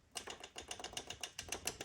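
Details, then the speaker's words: Honda ATC200X three-wheeler, barn find, valves set by feel on the compression stroke: quick sharp clicks as a rocker is rocked by hand, showing too much clearance after loosening a tight intake valve; excessive valve lash. "you basically want it to be to where there is slop but it's not loud like you can feel slop but it's not like making noise if it's making this noise"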